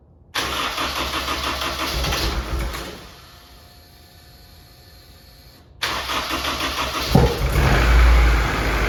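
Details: F24 newly built motor, first start: cranks and catches quickly, stumbles briefly, then restarts into an even idle; no leaks, no knocks or ticks, sounds healthy.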